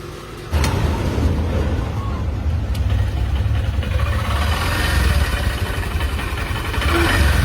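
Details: Honda SP Shine BS6 motorcycle at idle after timing chain timing was realigned (crank and cam marks matched): deep, even low thrum with light blips, no ticking or rattle; earlier timing chain noise gone, normal idle.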